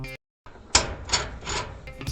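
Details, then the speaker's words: Whirlpool Cabrio dryer running, rough rasping scrape swelling about every 0.4 seconds as the drum turns; a worn, loosened idler pulley roller is suggested as a possible cause, unconfirmed. "It could be your idler pulley roller. Over time, the roller will wear and tear. You will start hearing a loud scraping noise because the wheel becomes loosened."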